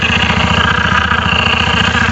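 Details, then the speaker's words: TVS Ntorq BS6 Race Edition scooter at idle: quick light rattle ticking over the engine beat traced to a loose kick-start box; pressing the kick lever in temporarily quiets it, needs tightening at service. "अभी मैंने पता किया तो ये जो किक का बॉक्स है ना, ये किक का जो बॉक्स है, इससे साउंड आ रहा है।"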